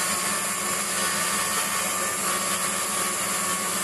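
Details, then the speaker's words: Waldown/Dumore tool post grinder finishing a bronze bush bore on a lathe, stone worked in both directions with fast in-out traverse and very light cuts: steady high hiss with no rise or fall in pitch or loudness. Even contact, so the bore is finished. "so when that's it's all stopped we'll know that uh and it's a constant sound all the way through we know that the job's done you've worked your stone in both directions"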